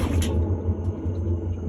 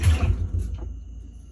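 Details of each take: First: Whirlpool-made Maytag washer before drum conversion, drum turned by hand: very loud, deep growling rumble with uneven knocks about three a second; worn transmission. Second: Whirlpool-made washer, drum spun by hand for comparison with the loud unit: one push gives a soft low rumble that fades quietly, with no grinding or knocking; drum and transmission sound normal.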